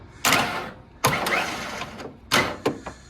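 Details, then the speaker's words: 1992 Ford F150 5.0 liter with a blown motor, cranked after pulling the black-fouled spark plugs from both sides: short, irregular cranking bursts with uneven gaps and no firing; owner suspects a piston or internal problem, possibly fried. "I thought it would go away unless it's doing it on both sides, or it could be something even to do with the pistons or something, I guess. If that's the case, it could actually be just completely fried."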